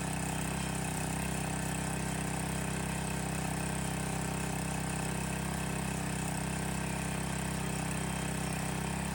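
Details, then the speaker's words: Landworks 20-ton log splitter's new small engine just fired up, loose choke lever creeping toward run; steady, even low chug at constant speed with no knocks or misses, quieter than expected; healthy normal running. "Honestly, a lot quieter than I thought it would be. I don't know if you can hear it on the camera, but it's really not all that bad."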